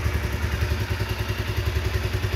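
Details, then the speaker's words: 2010 Honda CBR 150 (old model) with original carburetor and factory-sealed engine, heard at the engine: even single-cylinder thump at about ten beats a second, no ticks or rattles; very smooth, healthy idle. "suara mesinnya halus sekali ya. Tuh, halus banget, nggak ada suara yang aneh-aneh teman-teman ya."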